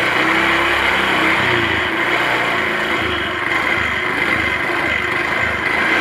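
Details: Honda automatic scooter that started hard and stumbled, after disconnecting/bypassing the EOT sensor; starts easily, steady even idle with no stumbling or hunting, normal idle.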